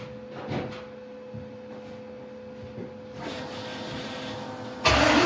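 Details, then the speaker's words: LS-swapped Chevy C-10 V8 with cheap mufflers, possibly Magnaflows, and an exhaust held by loosened mechanic wire, a likely cause of earlier clunking: a brief crank, then a steady, deep, even burble. It is healthy but loud and droney in the cab. "So that was pretty good. A little loud in the cab, and it's a little droney. It's not terrible"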